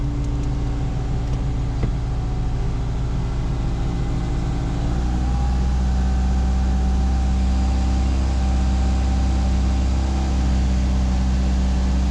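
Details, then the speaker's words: 2000 Subaru Impreza RS after a JDM 6-speed swap and an exhaust fix: a brief blip, then a steady, even idle with a low, smooth exhaust note and no knocks, leaks or rasp; it sounds healthy. "A little bit quieter now that I fixed the exhaust."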